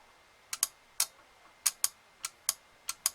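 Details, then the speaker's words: Relay on a clothes-dryer control board (EPT58114), bench-tested by applying about five volts to its coil: crisp, sharp clicks in a quiet room, mostly in pairs as the coil switches on and off; normal relay click. "this will verify if that relay is still working so you can hear it turn on"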